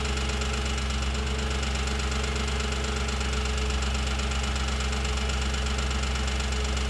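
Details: 2007 Audi S4 V8 at steady idle with a light, fairly regular tick of about two per second, after a full timing chain job and a new clutch and flywheel; the source of the ticking is still unidentified.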